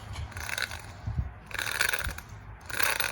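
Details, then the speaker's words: Old wheel bearing removed from a 2008 Toyota Tacoma PreRunner V6, turned slowly by hand three times: a dry, gritty rasp with clicking catches. This is the noisy bearing, worn rough and needing replacement. "All right, we've got the old one right here, the one that's really making a lot of noise."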